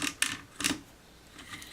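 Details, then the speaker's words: Porter Cable 7539 3-1/4HP variable-speed router, about 20 years old, mostly used upside down in a router table: bottom bearing turned by hand gives short dry gritty rasps instead of a smooth spin; worn bearing, replaced. "sounds little sounds a little unhappy"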